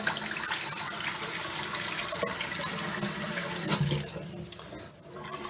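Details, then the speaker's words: Newly installed farm-style waterfall kitchen faucet with stop valves fully open: running water with a thin, steady high-pitched whistle on both hot and cold; supply pressure too high, fixed by throttling back the stop valves. "And you can tell by the sound, listen. Good. The high pitch noise on the cold, high pitch noise on the hot, and really high pitched."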